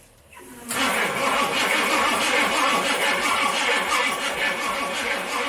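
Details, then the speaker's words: Firebird being started for the first time in years, cranked to draw fuel back up: steady fast starter churn at roughly three beats a second, turning over without catching. Extended cranking. "it's got a crank for a little bit just it cuz gotta get fuel back up yeah give it like ten seconds and then we'll stop"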